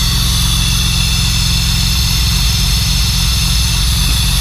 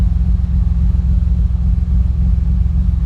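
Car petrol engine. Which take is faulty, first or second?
first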